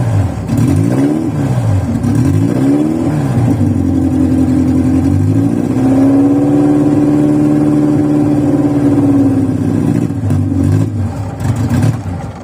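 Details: Cold VW Voyage after sitting many days, worn old mechanical parts: engine catches and revs unevenly, rising and sagging with pedal pumping, then holds a wavering, lumpy rough idle while warming up.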